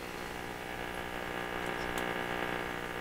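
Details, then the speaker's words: Viking console RC311 radio during final alignment, after a 200 pF capacitor replacement: steady crackly hiss with faint irregular pops over background hum; intermittent noise coming and going, source not found, owner considered a loose tube. "where' that noise go where is it coming and going"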